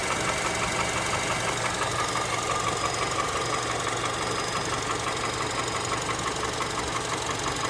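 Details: Honda Element K24 engine at steady idle: sharp, even knock about three times a second over the engine; a clear internal knock, source not pinned down.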